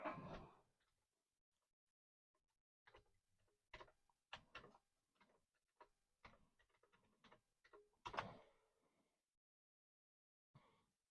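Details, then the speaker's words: Commodore 1541 floppy drive, opened before, revived after decades of storage, on a Commodore 64: irregular stepping clicks and head seeks loading a test demo disk cleanly; normal floppy drive loading. "oh look at that we have woken the drive up and it is doing its thing"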